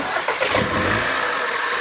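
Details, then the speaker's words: 2010 VW Tiguan 2.0 TSI no-start, oil refilled to proper level and plugs refitted: starts but runs rough with every cylinder misfiring; codes P0300, P0341, P0016, timing chain suspected to have skipped teeth. "oh it actually started isn't that beautiful now it's Mis fighing I can feel the M but it actually started"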